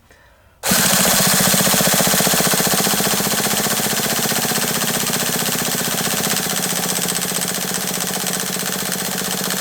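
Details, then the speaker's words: HPI nitro RC truck, glow plug unheated: fast, even starter chatter, pitch changes as fuel and some combustion arrive, but never catches; possible gel in carb needles. "did you hear the change in Pitch though that's when the fuel started to go in and we started to get a little bit of combustion happening a little bit of compression started to happen so we know the fuel is starting to go in now no smoke yet"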